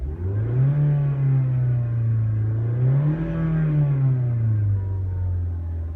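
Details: 2012 Mazda CX-5 petrol engine after cleaning clogged, carbon-laden injectors (cylinder 4 misfire, lean plug): revs up and settles smoothly, even tone, no stumble. Misfire fixed.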